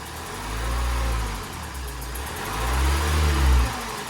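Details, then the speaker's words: 2017 Ford Transit Custom 2.0 EcoBlue diesel after rebuild, old injector seals reused; revved twice from idle, rhythmic chuffing puff and ticking from injector seal compression leaks, not the air box. "chuffing it's not at the air box injectors i deliberately didn't put the new ones on because they're one-time use"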